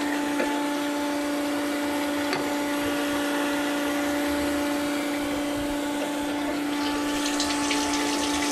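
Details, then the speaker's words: Billet Toyota 3TC drag car before first start, electric fuel pump priming at 38 psi after a small fitting leak was tightened; steady even hum with no surging, fuel flowing, no more leaks. "fuel's flowing awesome so don't see any more leaks that's it"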